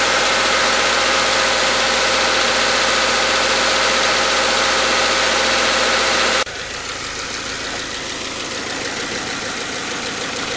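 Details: Subaru/Toyota/Scion FB20/FA20 boxer after head gasket replacement, warming up; steady even idle with smooth unchanging note, no knocking or misfire; exhaust smoke cleared, no check engine light; normal idle.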